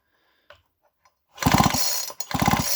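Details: Nearly new chainsaw two-stroke that won't start despite fuel and spark at the plug: two starter pulls, each about six even chuffs that never catch; weak compression from a scored cylinder.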